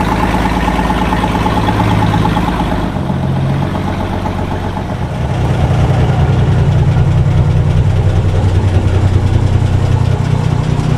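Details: 1961 Ford Falcon with muffler rusted off and exhaust manifold barely hanging onto the cylinder head: loud, raw, rapid exhaust pulse at idle with blatty low chuffing; exhaust leak at the manifold, before repair.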